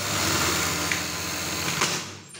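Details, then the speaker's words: Brother 814 buttonhole sewing machine; steady whir then a hard slam and crack at each stop, caused by the stopper screw and its position set too low. "cuman dia ketika nyetop itu bunyinya kenceng banget jagrak gitu kita nggak tahu penyebabnya apa ya"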